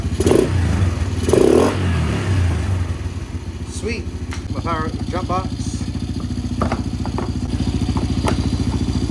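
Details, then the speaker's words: 2007/08 Polaris Outlaw 90 ATV revived, carb cleaned, run on jump box with bad battery: small single settles into even steady putter with regular firing pulses and clean revs; runs, revs, drives forward and reverse normally. "So, there we go. It's running. It revs up. It drives, goes in forwards and reverse."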